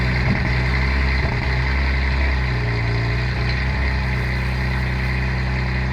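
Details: 2011 Cadillac CTS with LFX swap, ported throttle body, K&N intake, tune, cat and resonator delete, after new timing chain, cam sensors, coils and plugs, on cold start: deep uneven idle with occasional stumble, a misfire of still unknown cause.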